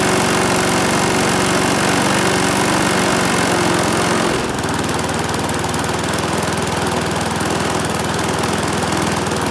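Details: Briggs and Stratton mower engine, serviced after oil starvation or neglect, gives a steady buzz that settles into a slightly different even note partway; healthy, no misses or knocks.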